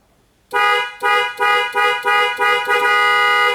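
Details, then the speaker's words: 2001 Toyota Tundra whose horn, cruise control and airbag light all failed together: seven clear, strong horn blasts with the last one held, with the horn wired direct, proving the horn works and the clock spring is defective and needs replacing. "the horn works and our problem is the clogged spring"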